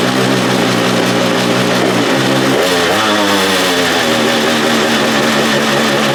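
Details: Free stand-up jet ski, two-stroke, run on a flush hose after carburetor fuel pump parts were reassembled correctly to fix bogging and not revving: fires up, holds steady buzzing run, picks up smoothly on throttle blip; running healthy.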